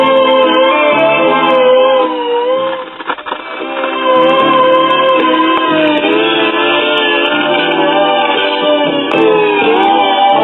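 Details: Crosley Stack-O-Matic CR-AT5 record player barely turning; music pitch wobbles and sags and drags badly, lots of wow and flutter from a stretched, slipping, shot drive belt.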